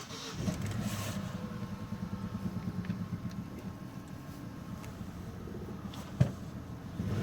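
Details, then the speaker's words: 2004 Opel Vectra C, Z18XE petrol engine, just started after clearing P0303/P0304 misfire codes: idle pulses with a low, lumpy beat and rough shake, exhaust puffing; cylinder 3 misfire, compression 3 bar versus 12, so cylinder head must come off. "значить машинка троїть і помилки по пропусм третього циліндра"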